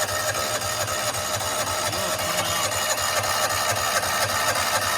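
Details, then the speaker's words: John Deere Gator 4x2, unrun for years, with a spare vacuum fuel pump fitted: even starter churn about four beats a second, never firing; fuel seen but weak, nothing felt at the vacuum hose; weak vacuum pump starving fuel. "It should be stronger than that. Tested the vacuum line. I put my finger on top. Couldn't feel anything out of the hose."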